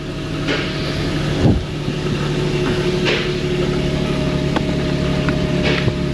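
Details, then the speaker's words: Infiniti G37 after a misfire repair using quick-set JB Weld, first start. The engine settles into an even idle with a steady beat and a few sharp clacks, but no skipped beats; the misfire is gone. "it's running running great now that's plugged in"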